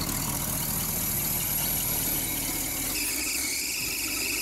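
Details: Small-block Chevy V8 on first start, cold and a little choked: a high, steady shriek over the idle from a loose, slipping drive belt.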